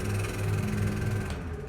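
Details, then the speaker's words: Pedestal high-speed fan (Farrata) running on 220 V makes a loud, deep, uneven knocking rumble from a dry bearing; it still runs and blows air fine, but the coil may fail if left unrepaired. "तो यहां पर दोस्तों ये जो पंखा है बहुत ही ज्यादा कच कच की आवाज कर रहा है।"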